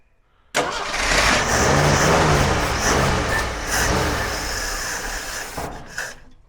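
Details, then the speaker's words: Jeep CJ5, in the family since 1983, not started in about 34 years, with past oil pressure issues. Engine catches and runs rough and uneven for a few seconds, then fades out. Won't keep running; owner suspects it needs fuel flowing. "well i think she'll run if we can get some gas flowing to it"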